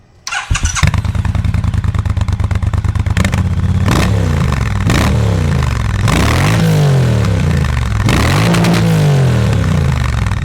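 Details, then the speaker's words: 2019 Triumph Bonneville Bobber 1200cc twin, a non-runner revived after fuel tank slurry and a replaced used fuel pump. Cranks briefly, fires and settles into a slightly rough idle as the injectors settle in; bottom end quiet, no knocks. Normal idle. "There it is. He's alive. He's idling a little rough as those injectors settle in, but the bottom end sounds tight."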